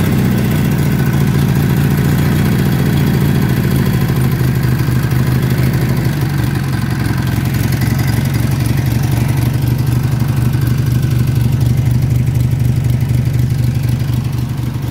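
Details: Massey Harris Pony with an 18hp Briggs opposed twin, with temporary wiring. Even, low chugging at about four pulses a second with a slight dip in speed. Normal running; only small adjustments remain.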